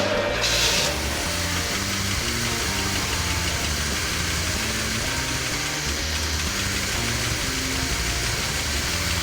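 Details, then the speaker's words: Corvette cranking steadily at about four beats a second but never catching; the fuel pumps aren't working, so no fuel reaches the engine. The key is turned off so the pressure line can be checked, and the pump is suspected of lacking pressure. "The fuel pumps aren't working. You know what? The feed, turn off the key."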